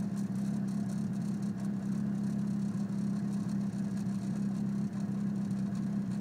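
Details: Car idling after intake manifold installation, codes P0300 random misfire and P0031 O2 sensor heater circuit low voltage: idle hum with an uneven, stumbling beat and occasional dips; misfire of unknown cause.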